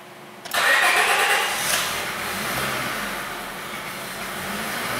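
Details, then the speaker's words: 2004 Honda Civic 1.7 with a couple hundred thousand miles, towed in as crank-no-start. It starts only with throttle, then idles very rough and choppy with an uneven, wavering note. "All right, so it is idling, very, very rough. So we can see and possibly hear that the engine is running pretty choppy."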